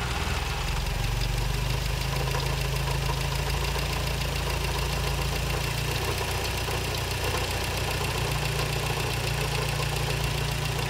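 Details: 1956 Triumph TR3 engine at idle; dull rhythmic tapping knock riding on the exhaust beat; cause unknown.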